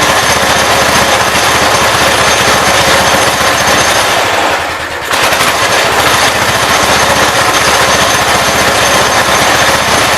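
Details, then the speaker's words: 1980 Wheel Horse C145 lawn tractor, fuel line reconnected to the rear tank and air filter housing off: held wide open it gives a fast, steady, even rattle with one brief dip and runs clean, but still won't idle. "I don't necessarily trust the lines that are on this because it remind me of old air hose. So, I don't know. Still not idling, but at least it sounds good wide open."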